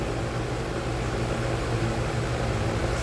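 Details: Ventisol wall fan (bearing model) that had smelled of burning and locked up, test run after repair while oscillating, checking for grille vibration: steady airy whoosh over a soft low hum, no rattle or knocking; runs smoothly.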